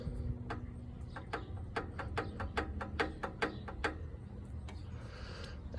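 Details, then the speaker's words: Vintage Kohler garden tractor engine turned slowly by hand: sharp dry uneven clicks two or three a second; owner suspects wiggly camshaft, possibly gears with a concerning tooth; knock heard at low RPM, gone at higher RPM. "See, that's the sound that's been concerning me for a bit. Don't know if you can hear it. Because when I run the engine on low RPMs, I hear a little bit of a knock and all it goes is when it's on higher RPMs, it just goes away."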